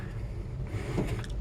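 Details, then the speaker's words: 1965 Ford F100 with 360 V8, key on, engine off: steady low hum of the electric fuel pump running normally. "but if I turn the key on there you go so the fan works the heater is hooked up the heater works great you can also hear the electric fuel"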